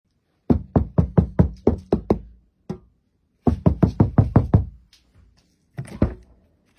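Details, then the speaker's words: Renault Megane Electric EV door panel after sound deadening, heavy material on the door skin and cavity damping: knuckle raps give dull, short thuds with no ringing, the door no longer sings. "Når man nu banker på dørsiden, kan man høre en klar forskel. Dørene synger ikke mere, og den lukker mere"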